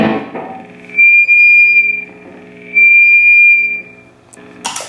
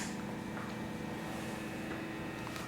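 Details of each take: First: Guitar through amp into Universal Audio OX Box with overdrive on: loud steady high whistle near 2.5 kHz over the notes, cutting in and out; attributed to a really long speaker cable: high-pitched feedback squeal. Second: Universal Audio OX Box with hollow-body guitar, after fitting a shorter speaker cable: low steady amp hum and normal amp feedback with the OCD and then DNM drive plus boost engaged, and no high-pitched hiss or squeal anymore.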